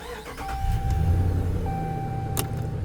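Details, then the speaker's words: Dodge Ram 1500 5.7 Hemi with intermittent click/no-crank, new battery: starter spins engine in an even low churn, roughly 220 pulses a minute; cranks normally, fault not reproduced. "I want it to click again will I be able to do that because I guess it's going to crank every time now damn"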